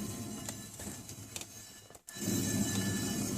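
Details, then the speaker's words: Nissan 300ZX Twin Turbo (Z32) front hub spun by hand after a Brembo SRT8 6-pot caliper conversion. The brake doesn't drag, but a rough, gritty whir with faint uneven ticks shows a worn wheel bearing that needs replacing. "can see that it doesn't drag, but you can hear my wheel bearing. Definitely needs to be replaced."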